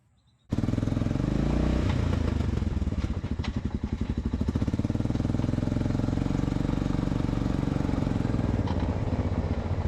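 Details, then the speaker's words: 1986 Honda FourTrax 350 ATV ridden on trails with low, dirty front diff fluid: single-cylinder revs, then knocks and clunks through the drivetrain only on throttle lift-off; front differential gear backlash, worn limited-slip clutches or possibly a chipped tooth. "if like mine your diff makes this sound but only when letting off the throttle it means you've got backlash between the gears or your limited slip clutches or toast maybe you even chipped a tooth"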